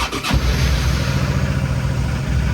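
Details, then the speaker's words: Suzuki DL650 V-Strom first start after winter storage, battery wires reconnected, cold February: short starter crank, catches at once and settles into steady even idle; healthy start. "все друзі все замінив все получилось мотоцикла завівся класно"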